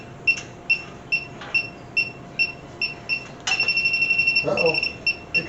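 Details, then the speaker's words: 1967 Mercury Cougar with cobbled AC system, refrigerant sniffer at max sensitivity: slow beeps about 140 a minute jump to fast continuous chirp, detecting a refrigerant leak at the condenser's bottom hose. "Got a leak on the bottom hose of the condenser core."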